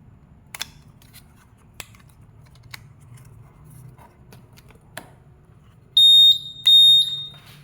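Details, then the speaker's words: Honda Vario 150 Smart Key with a starter button that does not work: after the SCU tested good on a simulator and was refitted, the smart key buzzer gives two short high beeps and the ignition knob can then be turned, which is normal. "Ada bunyi, buzzernya berbunyi. Setelah buzzer berbunyi itu ini knob bisa langsung diputar."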